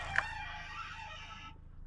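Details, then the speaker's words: Bought-cheap B5 Audi A4 after new suspension parts: dry squeaky creak rising and fading as the body moves; control arm bushing found completely shot. "control arms perhaps we have to do some more work and here goes the control arm as you can see this is pushing is completely shot that should not be happening"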